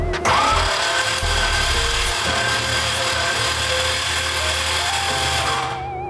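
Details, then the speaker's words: 6.0L LS-swapped Nissan 240SX first start, cranking: harsh, even grinding rasp throughout, no clean starter whir; starter suspected touching bell housing despite clearancing, engine otherwise seems good. "It might be touching the bell housing a little bit. As long as that's that starter making the noise, right? Yeah, it's the starter."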